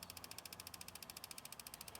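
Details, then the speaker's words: Ford Fusion with codes P0443 and P0456 and the check engine light on. Even ticking about twelve per second over a quiet idle; the EVAP purge valve circuit tests good and the solenoid clicks but the valve is stuck open and needs replacing. "Purge valve circuit is good. Purge valve is clicking, but it's stuck open."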